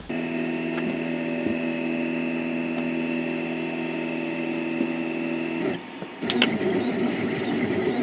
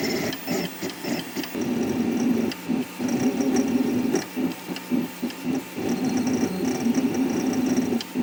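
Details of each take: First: 3D printer moving its axes before rubber dampers are fitted between the NEMA 17 stepper motors and their mounts: shrill, steady stacked-tone whine; stepper vibration resonating through the frame. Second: 3D printer after installing rubber dampers between the NEMA 17 stepper motors and mounts, same print at the same speed: soft, dull whirring pulses instead of the earlier shrill whine; decibels unchanged, extruder motion mostly heard.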